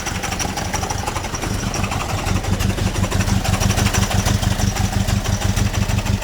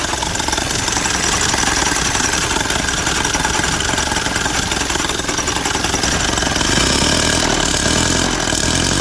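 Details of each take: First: 1928 Durant engine just reinstalled and crank-started after repair, clutch not yet tightened: slow, even low putter with steady firing pulses, no knocks or misses; engine running normally. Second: 1928 Durant, first start after reinstalling the engine and the clutch plate on the flywheel: steady idle with an uneven, loose clattering tick, about three to four knocks a second. Owner says he forgot to tighten the clutch down; cause not confirmed.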